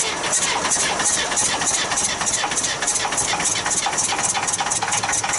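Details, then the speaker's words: 1966 Austin London taxi, first start in years: rhythmic hissing puffs about four per second over idle, air chuffing back through intake; owner suspects an intake valve problem, and it later cleared up by itself. "there was a reason for that thing to be doing what it was doing you know blowing through the intake but it cleared up so whatever it was it straightened itself out"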